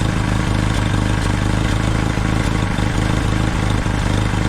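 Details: Jeep L134 engine at carb-adjusted idle: low steady idle with rhythmic puffing pulse from a leaking gasket between the intake and exhaust manifolds, bolts likely loosened over heat cycles.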